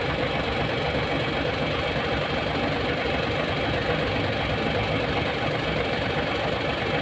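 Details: Hino 700 with E13C diesel, low power and hard starting: steady idle with a slightly uneven, loping beat of about 80 a minute, rough idle from a misfire traced to malfunctioning injector #5.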